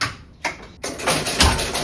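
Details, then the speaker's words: 1974 Williams Strato Flite electromechanical pinball machine at first power-on after pickup, loud irregular clunks and buzzy bursts from inside the cabinet; something clearly wrong, possibly a stuck coil, cause unconfirmed. "Okay, so there's something definitely wrong there"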